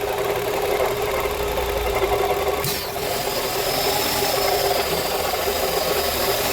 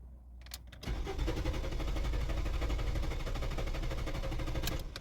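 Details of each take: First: Renault Fluence that previously cranked but wouldn't start: the engine now runs on its own with a fairly steady beat under some handling clatter, so it starts and keeps going. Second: Renault Fluence: steady starter churning at about four beats a second for several seconds, never catching or picking up speed; cranks but won't start.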